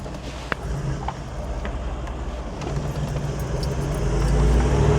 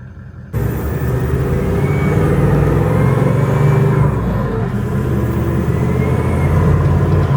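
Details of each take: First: Toyota 79 Series LandCruiser diesel, cold, first drive after replacing failed turbo that caused limp mode and fluttering under load: smooth steady rumble building evenly, no flutter or turbo scream; noise fixed. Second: Toyota 79 Series LandCruiser diesel under load on freeway/hills, before turbo replacement, going into limp mode: heavy drone with thin high supercharger-like whistle; turbo overspinning and overboosting.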